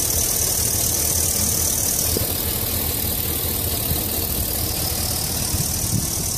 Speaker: but that's pretty much the engine running it's a normal idle I don't know if you can hear it or not